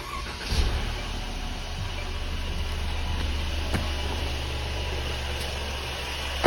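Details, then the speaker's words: 2017 Mercedes-Benz E300 restarted after spraying the fan belt: cranks, catches and settles into smooth steady idle with the squeal/chirp gone; normal start. "You see the sound is gone. Sound is gone. That's a regular Mercedes sound."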